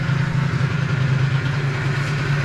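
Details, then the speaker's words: Rebuilt 50cc Stage6 cast-iron air-cooled two-stroke in a Stunt scooter, first kick-start idle: steady low drone with fast pulsing hum and an extra rumble; owner unsure whether it is bearing noise or the fan scroll. "petit doute si j'entends un bruit de roulement ou si c'est la volute qui fait ce bruit là par ça fait longtemps que j'ai pas démarré un moteur àir"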